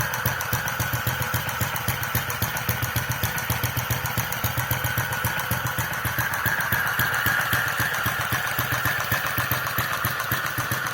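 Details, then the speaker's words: Centaur horizontal open-crank model engine with electronic ignition, fuel injection, electric start and pumped cooling, driving a generator at its usual 900 rpm: crisp, evenly spaced firing with no misses or knocks; normal running. "which is why I normally have it running at 900 RPM, which gives a good output from the generator, and it's a nice comfortable speed for the motor as well."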